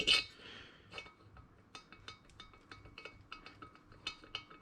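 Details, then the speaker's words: 1959 BSA C15 Star single engine, valves dropped through the valve guides on the bench. Loose metallic clinks and rattles show a lot of slop on both sides; the guides are worn and will be replaced. "Hopefully you can hear that. And it's the same on this side. Quite a lot of slop there. So we will be jumping in for new guides."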